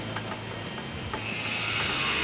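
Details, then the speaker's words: Jeep differential during rebuild: light metallic backlash rattle/clicks as the crown wheel rocks against the pinion; too much backlash, to be fixed by moving a shim to shift the crown wheel. "just got a bit too much backlash there you can hear that hear that backlash rattle there"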